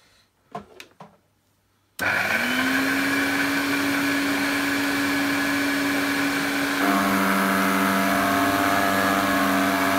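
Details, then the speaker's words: Electrolux 502 vacuum cleaner running with Turbo Power hose fitted: motor spins up to a steady high hum, then pitch steps down with a rough busy whirr; owner suspects worn motor bearings. "hmm I think that sounds more like the bearings on the motor sounds a bit crazy"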